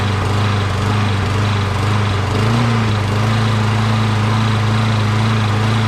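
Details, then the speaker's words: Briggs 12.5HP SOHV engine on a Poulan XT PXT12538 lawn tractor, long unused and just refuelled: steady hum, then pitch lifts and settles slightly higher, a mild surge at first start. Owner suspects debris from sitting; smoothed out after about a minute. "so so as you can see when i first started it it starts up right away uh but it kind of surged a little bit it's been sitting here for a while you know what i mean so there might be some kind of debris going on"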